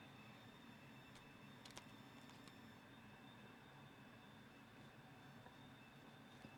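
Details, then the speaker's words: Home HVAC blower running with an old, clogged return filter, GeneralAire filter gauge fitted: steady air rush with a thin, high whistle as it pulls hard through the filter. "Put the fan on, get you up here where you can see the gauge. And you can even hear it whistling, it's pulling so hard on the filter."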